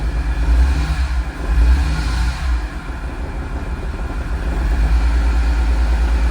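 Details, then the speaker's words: 2006 E46 M3 after flood submersion, new oil pan and starter, first start with MAF plugged in and vacuum leaks plugged: deep steady idle, slightly uneven beat from mild misfire, shaking; no rod knock, bearing, chain or top-end noise. "The engine sounds good. I mean, the engine sounds pretty healthy. Uh, I mean, it's misfiring a little bit, so she's shaking a little bit."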